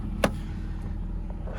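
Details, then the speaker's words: BMW with 2.5-liter inline six, 94,000 miles, check engine light on for ambient temperature and evap sensors: low, even rumble with steady beat just after start-up, no knocks or misses, no overheating; normal idle. "This car has 94,000 miles. Listen to it. Sounds so good."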